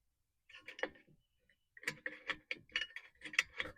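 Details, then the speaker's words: 2003 Honda Element rear parking brake adjustment through the hub hole with rotor on: quick metallic clinks in short bursts as the star wheel turns against the spring, showing the adjuster is moving. "When you start to move it, you'll hear it go clink clink clink against that spring and that means you moved it."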